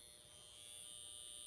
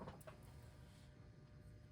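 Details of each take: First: Seth Thomas Dynaire 2E electric mantel clock (December 1953): steady thin high-pitched buzz from power-interruption indicator vane vibrating in the motor's magnetic field; sound stops when off; plan to disable or tape the indicator. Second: Seth Thomas Dynaire 2E electric mantel clock (December 1953), motor plugged in outside the mechanism after repair to check it: faint, steady, even hum with no clicks or stalls; the motor runs normally.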